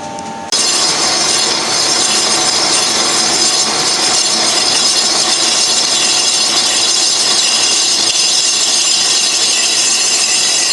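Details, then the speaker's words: Colchester Triumph 2000 lathe skimming a cast-iron 1930s Studebaker front brake drum, slightly oval, held in a 4-jaw chuck: harsh continuous high-pitched screech from tool chatter caused by vibration. "we've got some chatter going on here in that corner oh I don't know what's going on with that"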